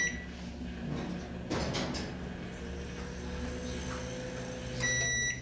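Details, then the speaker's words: Midea microwave not heating, after magnetron replacement test: a steady heavy low hum continues the whole run instead of stopping after a brief start; magnetron judged faulty. "Esse também parece que não presta. O barulho que ele fez. O magnetron, pessoal, é para ele dar aquele acionamento rápido e parar o barulho."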